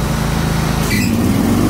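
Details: John Deere X320 riding mower with 48-inch deck after deck belt (M154958) replacement: steady engine drone with smooth whine rising as blades spin up, no slapping or squeal; deck drive healthy.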